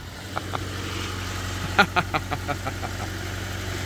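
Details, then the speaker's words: Long-stored Proton barn find started on a jump pack: a steady low rumble, then a quick run of uneven firing pops settling into a smooth idle as the engine catches and keeps running after long storage. "mae'n byw mae'n byw yn anhygoel ac fel y clywsoch chi wedyn yn wyrthiol dechreuodd y car uh gyda'r pecyn neidio hwnnw"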